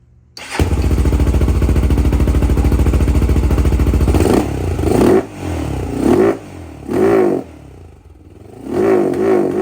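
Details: 2007 Honda 400EX single-cylinder, needle clip moved from third to second position (leaned slightly), original 155 main jet still in: each throttle blip surges and sags instead of climbing; carburetor bogs at full throttle from a too-rich main jet.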